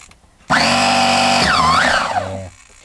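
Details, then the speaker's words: Nova B3 nitro engine in RC buggy, freshly oiled with glow starter fitted: electric starter box whirs up then sags, wavers and dies within two seconds as its battery runs flat and needs charging; engine not started. "the battery's running out let me start the Box to be continued that's what it is to be continued that needs charging up that's not good that's never going to work like that my friends"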